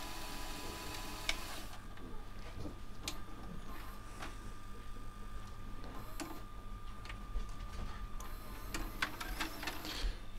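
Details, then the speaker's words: Sony DAV-D150G VHS deck on a second tape, after the first tape would not rewind: a steady, even whirr with a faint constant high tone and no drag or squeal; the spools rewind normally. "So yeah, that spool is working, where the other one wouldn't rewind it, but this one looks like it is."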